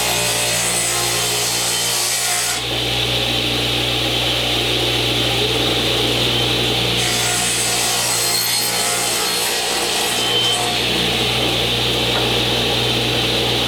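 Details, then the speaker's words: Original Saw model 3512 radial arm saw (old DeWalt design), newly installed on a 50 A breaker with dust collection: steady motor hum, blade tearing evenly through wood without bogging; healthy cut under load. "Sounds good. Doesn't seem to want to bog down at all."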